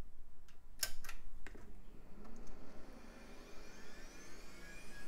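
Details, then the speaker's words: Packard Bell Platinum 2240 at power-on after refresh and PSU test: soft clicks then a clean, smoothly rising whine as the Quantum Fireball hard drive spins up; system posts, drive detected and healthy, boots Windows 98. "and we're already posting hard drive sounds good and it's detected"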